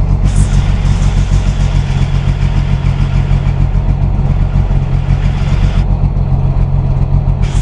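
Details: VW drag engine 2276cc, FK-89 cam, 12.5:1 CR, 91 pump gas, Megasquirt 3, cold at about 44°F, started without throttle: deep loud steady lumpy idle, no misses or knocks, raised warm-up idle; normal cold idle.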